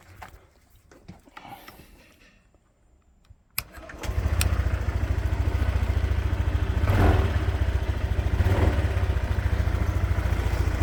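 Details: Honda PCX 125 scooter after cleaning a problem connector to cure a no-crank no-start: short crank, then engine catches at once and settles into a smooth, even idle with no misses; healthy start.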